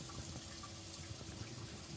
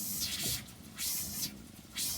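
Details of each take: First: Scamper pop-up camper water pump being tested for leaks: soft, steady rush of water through the lines with a faint pump hum and no air gulps; pump flowing normally. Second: Kodiak Scamper trailer water pump switched on for its first test: irregular hissing spurts come roughly every second with gaps between, and the water looks bubbly. The sputter suggests air being pushed through the lines, but this is not confirmed.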